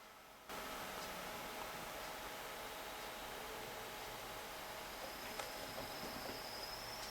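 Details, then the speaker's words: Homemade thermistor-controlled MOSFET cooling circuit for an amplifier, cooling after heating: faint whistling and rising chirps over hiss as the MOSFET gate hovers at threshold and oscillates. "down and that whistling and tweeting which you can hear is the sound of the mfet just kind of like oh should I switch on not is kind of the Gate of the mfet kind of turning itself down"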